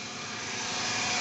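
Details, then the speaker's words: Toyota Camry after balancer shaft replacement and throttle body cleaning, idle not yet reset so above 1000 rpm: smooth even loud hum, earlier knocking gone; possible noise from starter or flywheel area still to check. "Nah, ini kita belum reset RPM ya, jadi ini RPM-nya masih di atas 1000, jadi suaranya lebih kenceng ya RPM-nya ya."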